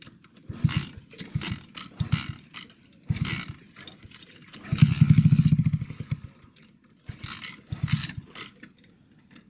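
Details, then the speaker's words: 2009 Skyteam Bad Boy 50cc four-stroke single, carb cleaned, good air filter, but not running, idling or starting right. Uneven stumbling bursts, catching then dying, no steady idle; air leaking at the inlet manifold. "The bike still is not running or idling or starting the way it should. Really hope we can fix that cuz this is not the way it's supposed to run."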